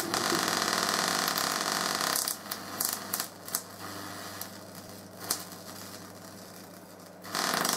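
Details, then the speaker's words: Full-bridge PLL solid-state Tesla coil in low-power tests, small transformer sagging from about 25 V to 18 V: constant hissing buzz breaks into choppy crackling bursts, acting interrupted though no interrupter is fitted; cause unclear. "now if I turn it on it's acting more like an interrupted coil even though I've got absolutely no interruptor on this at all"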